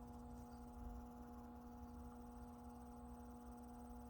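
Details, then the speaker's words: Aftermarket wireless charging pad installed in a 2019 Toyota RAV4 console: a faint, steady buzzy hum at one pitch from the small cooling fan under the pad while charging. Normal cooling fan operation. "And you hear a little fan. You hear a little fan on the bottom, like tiny noise."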